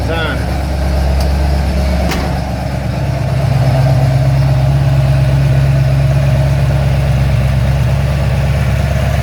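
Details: Ford XC GXL under restoration with a 351 V8, warming up; the choke is later found too rich once the thermostat opens. A deep, even burble at a steady idle with no ticks, knocks or misses. A normal idle.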